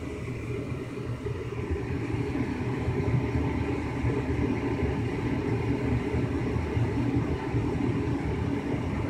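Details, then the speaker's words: 2005 Lennox Elite series 90,000 BTU gas furnace in heating mode, after burners lit: blower comes on with an even, steady airflow rumble, no knocks or squeals; normal blower operation. "so i'm gonna wait for the blower to come on now which sounds really cool in heating"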